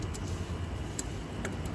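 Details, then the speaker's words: Cam chain tensioner on a Taotao Pony 50 during A9 camshaft install: a few faint, crisp clicks as the tensioner bolt is tightened, normal ratchet clicking that shows the tensioner seating correctly. "you can still hear it clicking when you tighten this you're gonna hear it click that's a good thing"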